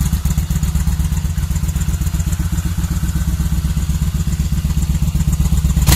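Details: Kawasaki VN1500 V-twin at its first firing after a rebuild: thumping about four beats a second with a loose, lumpy idle and a slight rise at the end. Engine running at idle.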